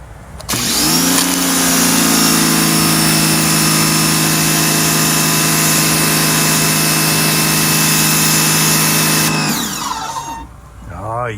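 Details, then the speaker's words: Portable electric pressure washer after repair (won't turn on, leaks fixed), trigger pulled: pump motor kicks in with steady hum and high whir, holds even pitch nine seconds, spins down smoothly on release; working normally. "So, what should happen when I pull the trigger? We should hear the pump motor turn on. And when I release the trigger, the pump motor should turn off."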